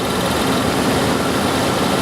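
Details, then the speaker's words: Dodge Dakota 4x4 5.2L at idle during R-12 to R-134a retrofit, charging after vacuum: steady loose rattle from the AC compressor while the system is still low on refrigerant, expected to quiet once full. "now you're going to hear a little rattle at first until you start getting it full"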